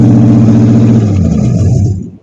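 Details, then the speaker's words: 1953 Ford Customline with a swapped-in 350 Chevy V8 and no exhaust fitted, carburetor found bad out of the box: loud barking, slightly uneven, shaky beat before dying away; rough idle, with some fuel vapor. "Okay, runs, sounds okay. A little shaky, but it was starting to give me a little vapor out of here."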